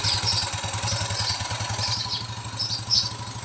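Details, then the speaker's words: Yamaha Mio 125i scooter, hard to start before; faulty fuel injector replaced, now starts easily and idles with a steady, even putter with no misses or knocks; running normally. "ก็สรุปอาการของรถคันนี้นะครับYamahaNeo1225iนะครับหัวฉีดเสียนะครับก็ทำการเปลี่ยนนะครับรถก็ปกตินะ"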